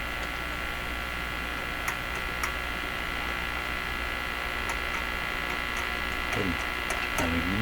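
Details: Hallicrafters S-38D communications receiver: steady low hum with a faint buzz and a few clicks; it also radiates out the antenna and shows many images from an over-oscillating local oscillator. The hum source is not pinned down and the cause is unconfirmed.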